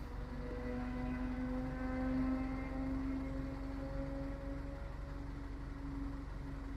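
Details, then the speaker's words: Audi B8 A4 in gear under load, low on fuel, codes just erased, spark plug suspected: a slight uneven pulse and occasional stutter, cause not confirmed. "these cars only like to misfire when they're under load so you put it in gear no no misfire you can hear it stuttering a little bit"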